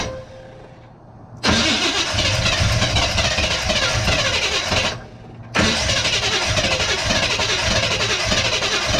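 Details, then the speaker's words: Big-block Chevy V8 in a truck, not run in years, carburettor filled by hand: fires, dies back briefly, then catches again and holds a steady rumbling idle. "we made sure we filled the carburetor all the way up and man I tell you what she fired right up"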